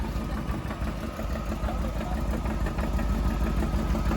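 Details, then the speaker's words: 1994 Corvette (manual) after a radiator flush and core plug change: steady idle with a dull regular knock about three times a second; owner suspects a loose exhaust, and finds it quiet with the clutch pedal in. Cause unconfirmed. "It's the exhaust. I think we just have a loose exhaust, maybe."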